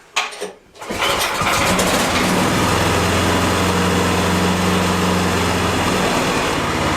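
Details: Ariens Deluxe 30 EFI snowblower, key on with a beep, at medium throttle just after being tipped on its nose. A brief crank, then it catches at once and settles into a steady, even run; a clean normal start.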